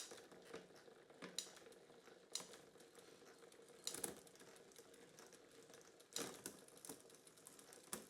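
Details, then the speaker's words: Kids bike with Shimano Q rear derailleur, knocked, new pre-stretched cable: quiet drivetrain with sharp irregular clacks as chain skips toward biggest sprocket — cable tension too high. "still hear that noise. And you can see the chain skipping. It's not happy."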